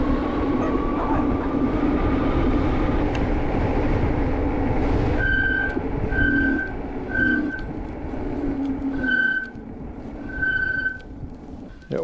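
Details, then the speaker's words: HyperScrambler 2 motorcycle after applying Squeeealll Out anti-squeal paste, riding: thin high squeal in short bursts roughly once a second over road rumble; rear brakes squealing again despite treatment; disc brake squeal. "oh God now the backs are going again"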